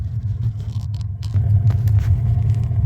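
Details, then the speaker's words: New AO Smith 50-gallon gas water heater, first firing after installation: the burner settles into a steady, even low roar; the flame briefly changes as air purges from the gas line; normal heating. "That guy is heating. Anyway, yeah, I think we're good. It is getting some air out of the line, which is why you saw the flame kind of change, but it is heating."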